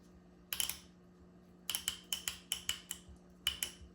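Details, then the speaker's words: Solenoid from 1993 Honda Accord transmission (1st–2nd shift delay to 4,000–4,500 rpm), bench-tested, screens cleaned: sharp clicks in quick bursts, each thin and soft, sounding weaker than the other solenoid; weak pull-in suspected, not confirmed; weak solenoid click. "I don't know if you guys can hear it. Sounds a little weaker than the other solenoid."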